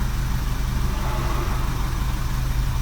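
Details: 2009 Vauxhall Corsa D 1.2 petrol, about 40,000 on the clock, idling after a new Bosch 9118368 crankshaft sensor fixed P0335 and the code was cleared: smooth, steady low hum with an even pulse and no misses, running cleanly.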